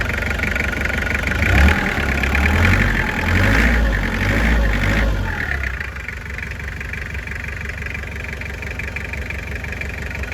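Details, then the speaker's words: Toyota 2L diesel van that knocked from a melted connecting-rod bearing, after replacing the rod bearing on one cylinder: quick revs settling to an even diesel clatter with no knock. Normal revving after repair. "ประมาณนี้นะครับเสียงมันน่าจะเงียบสุดได้เท่านี้หรือเปล่าผมไม่แน่ใจเพราะว่าเสียงไมตี้มันก็จะเป็นเอกลักษณ์เสียงเครื่องไมตี้2Lประมาณนี้หรือเปล่าครับพี่น้อง"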